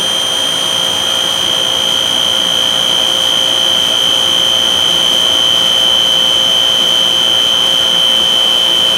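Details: JCDC-2 machine, serial 15110722: a piercing, perfectly steady high-pitched squeal over the running machine with no change in pitch.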